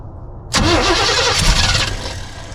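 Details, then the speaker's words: 1976 Chevy K10 shortbed, former mud truck parked about 10 years, first start: starter sounds good, engine catches in half a second into a loud, slightly uneven idle, a little missing; owner suspects ignition timing slightly off; rough running after start. "That starter sounds perfect. [Music] It almost sounds like the timing is a little bit off."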